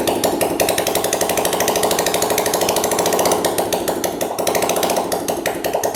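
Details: Small single-cylinder engine on first start after a top-end rebuild with a KMP Premium kit; oil circulating up to the head. Steady idle with quick, even light ticking from the head and no knock. Normal idle.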